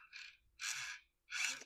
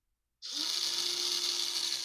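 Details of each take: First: 2003 Radio Shack Brum RC car rebuilt with hobby-grade electronics: original steering motor now on an ESC makes three short high-pitched buzzing whirs as it steers; steers properly but is noticeably noisy. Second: 2003 Radio Shack Brum RC car rebuilt with hobby-grade electronics, bench test: newly installed motor on channel six via an ESC spins up to a loud, high, steady whir with faint gear buzz, then winds down; runs fine.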